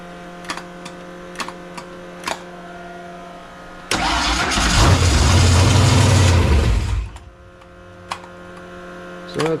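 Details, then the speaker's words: Fox-body convertible project with a supercharger, freshly reassembled carburetor with uncertain float levels, first quick fire-up from a switch panel with a squirt of fuel: starter churns, engine catches and roars about three seconds then dies; owner suspects carburetor or a big vacuum leak. "it's like a fires but it just doesn't wanna stay running"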